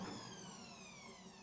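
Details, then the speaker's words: Washing machine drum turned by hand: high whine gliding down as it slows; drive motor fault, customer chose to keep using it. "The thing that disturbs the acceleration sound you hear is the engine malfunction."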